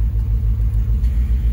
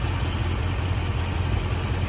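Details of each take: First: Dodge Charger R/T at idle with the AC on, just after a bad coil pack was replaced: a low, even idle rumble with a steady pulse and no misses. It no longer shakes, only a slight tremble; an O2 sensor code may also be present. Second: Dodge Charger R/T at idle during a coil-unplugging test: steady low idle with a slightly uneven, lumpy beat. The test confirmed the cylinder 6 coil pack is bad and causing a misfire.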